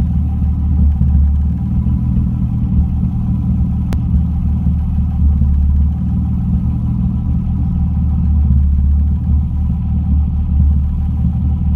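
Deep, steady low rumble at idle with a slight uneven pulsing in the beat; idle is a touch rough, cause unclear.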